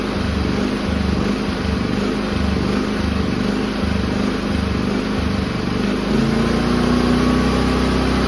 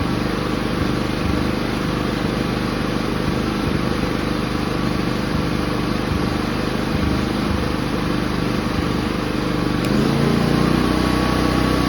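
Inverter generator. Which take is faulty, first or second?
first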